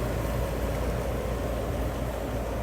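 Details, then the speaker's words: Carrier furnace control board HK42FZ011 after repair of relays burnt out by overheating from a clogged filter: relay clicks, then a steady low whoosh and even hum with no rattles; blower running normally. "there it goes I heard the relay click and now I hear the fan blowing all right that looks like a winner"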